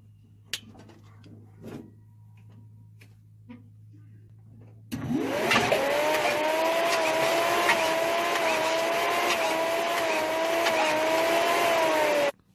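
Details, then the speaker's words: 1966 Chevelle 327 small-block with double-hump heads, a small cam and headers with dual Magnaflow exhaust, at fast idle after a cold start: a light, busy chatter over a steady whine from the valvetrain. One rocker arm was found loose. "So when I've been running this motor here the past few days, I've been hearing some chattering coming from what sounds like the rocker arms."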